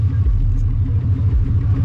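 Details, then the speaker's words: Ford Crown Victoria at idle, owner says it may need motor work: deep, uneven exhaust rumble with lumpy pulsing beat and no clean tone; loud rough exhaust, cause not pinned down. "Yeah, that thing sounds terrible, man."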